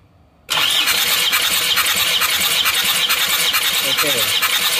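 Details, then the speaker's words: Isuzu Panther diesel, cranking during a compression test of cylinder 2 (sluggish before): brisk, even cranking with firm strokes; pressure rises quickly to 30+ bar, so compression is good. "ini bisa Bagus Ya 30 plus lihat bisa satsat kalau ini"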